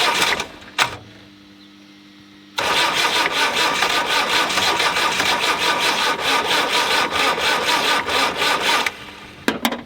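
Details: Land Rover 90, naturally aspirated diesel not started in eight years, cranked in snow on flat batteries: long cranking with uneven chuffing, catching only in patchy bursts, never settling to a steady run.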